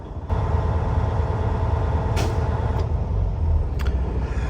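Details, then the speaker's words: Diesel truck air system after air dryer rebuild and governor replacement (fix for constant purging): steady compressor rumble then sharp hiss as dryer purges at cut-out about 120 psi, VIN-specific non-adjustable governor; normal air dryer purge at cut-out. "there it is guys as you guys can tell it did Purge and it's right at what is it 120 so it's a little lower than we usually have them we have them around 135 140"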